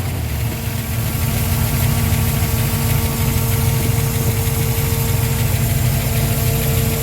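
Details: Mustang engine, cold start, idling after replacing weak electric fuel pump (only 3–4 psi) with Holley Sniper pump, return line via tank drain and Holley dead-head regulator: steady, even low rumble, no stumble or surging. Normal idle.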